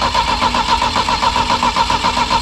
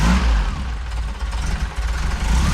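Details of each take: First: Saab Sonett III engine just reinstalled, with strong spark: the starter spins it at an even rapid chug but it never catches; the distributor was found 180 degrees out. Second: Saab Sonett III engine just reinstalled after oil pan gasket job, distributor rotor corrected from 180 degrees off, all plugs connected, new paint smoking: steady, even low rumble with slight idle speed wander, no misses or knocks; normal idle.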